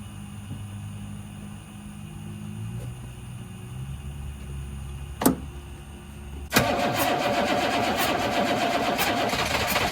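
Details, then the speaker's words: 1983 Chevrolet squarebody 6.2 IDI diesel, not run in years, fuel shutoff valve reinstalled on injection pump, bleeding air at loosened injector line: cranks with uneven churning beat but never catches; no start from air in fuel lines. "it's actually D loose I'm not going to takeen all the way just got it snug fingertight get that last little bit air out"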